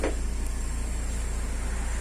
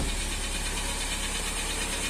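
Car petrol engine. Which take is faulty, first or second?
second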